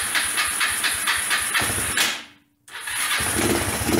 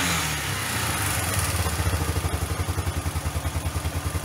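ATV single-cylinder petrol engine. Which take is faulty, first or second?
first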